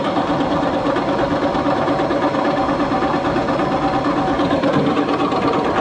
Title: Seasons nyc bad bearings close look at shaft